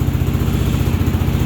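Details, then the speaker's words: 2022-2023 Kawasaki KLR650 single-cylinder at idle: fast even thump with light metallic rattle on each beat; owner suspects skid plate rattling after last trip, unconfirmed. "here at rattling all mine I need to figure out what that is I think it's my skid plate rattling after my last my last trip"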